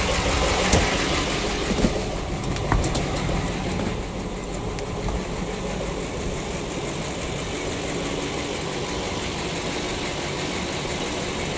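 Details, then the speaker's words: PAZ-672 bus V8 at idle, coolant near 80°C but not fully warmed: light, quick tick about four per second over a steady idle; owner thinks one valve's clearance was set slightly too loose. Valve tick. "Где-то какой-то клапан подстукивает, где-то я зазор чуть-чуть упустил. Тик-тик-тик-тик-тик-тик."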